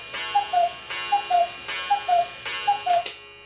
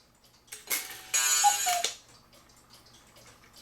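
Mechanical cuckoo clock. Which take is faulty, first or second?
second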